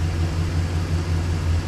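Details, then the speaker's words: Chevy Express van V8 after exhaust manifold replacement, now started after a key no-start, smoking as oil burns off: steady, even low rumble, much quieter, no ticking or puffing; exhaust sealed. "Hear how much quieter it is?"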